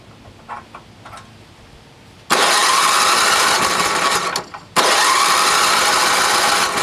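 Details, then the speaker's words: NOMA 8hp snowblower, choke on then opened, primer possibly not working, little gas in tank; two long steady whirring electric-start cranking bursts, never fires. Cranks but won't start, fuel starvation; carbony piston, some exhaust smoke. "primer doesn't really sound like it's working"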